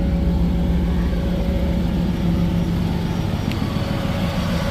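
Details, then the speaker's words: 1996 Chevy Camaro Z28 V8 with Flowmaster exhaust. Deep idle with an uneven, loping pulse and an occasional stumble from a misfire on cylinder 3; the owner suspects a spark plug wire, not yet checked. "pretty good for it to have a mire on cylinder 3 uh I believe it's going to be a spark plug wire it's just something I'm going to have to R check but sounds good though"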